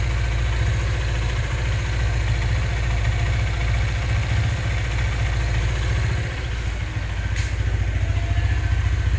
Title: Cbz engine knocking sound